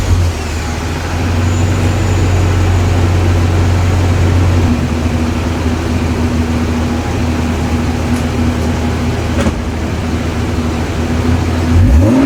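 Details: Toyota Cressida MX83 on a temporary exhaust, after the distributor was rotated in the correct direction: deep, steady exhaust drone at idle with even firing and no misses or knocks; now runs smoothly.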